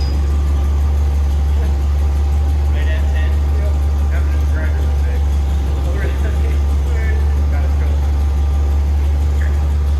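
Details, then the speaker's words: Race Terra (Scout) build engine first fired after head and valve job, not yet wired, timing being set at 10 degrees initial: smooth even low rumble at steady idle, no knocks or stumbles; idling healthily. "all right so we got it running obviously not wired [Music] checking fluids [Music] we're setting the timing at 10 degrees initial s"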